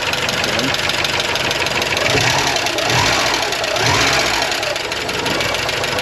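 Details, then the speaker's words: 1985½ Porsche 944 non-turbo, long stored, first start after replacing both reference sensors for a crank-no-start: catches and idles roughly, uneven and wavering with faint ticking; unsure how many cylinders fire, was flooded, lifters still pumping up. "she's alive, but she's not happy. Doing an injector. Maybe a little unhappy."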